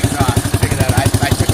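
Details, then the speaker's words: Yamaha Warrior 350 quad after carb jetting and a bent float tang to stop flooding, with a 12-disc Super Trap and spark arrestor: a clean, steady idle thump at nine to ten beats a second. It still sputters slightly at times. "i'll try to get some third person shots but it's idling nice and it's not i wouldn't say it's absolute 100 from the factory 96 good"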